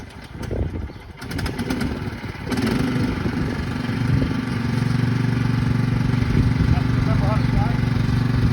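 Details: Craftsman manual-drive lawn tractor, 15.5 overhead-valve engine, after sitting about 4 years in a shed and an easy fix: after a rough start the engine settles into a smooth, even drone with steady note under mowing load; runs healthy.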